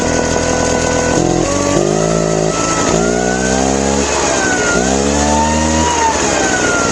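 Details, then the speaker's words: Craftsman two-stroke backpack leaf blower, after a carb clean for a complaint of dying on throttle: hard to start, then the buzz swells and sags as the throttle opens, revving up slowly before a steady whine; once revved up it sounds good. "Um, seem like it runs okay, but it's a slow rev up. Once it's revved up, it sounds good."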